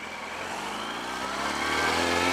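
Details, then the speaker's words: Yamaha R1 after clutch replacement for suspected burnt-out clutch, road test pulling through third gear; engine note climbs smoothly, no rattle, slip or misfire; clutch biting strong, though an initial starting issue noted; sounds healthy. "Sounding good. After that little rag, it seems to be staying on."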